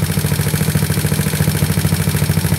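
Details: Modified GY6 scooter engine (150cc bored to 61mm, A9 cam, PD24J carb with 35/108 jets, free-flow exhaust) at a steady 1800 rpm idle, air-fuel ratio near 14.7: quick, even putter with no misses or surging. Smooth, healthy idle.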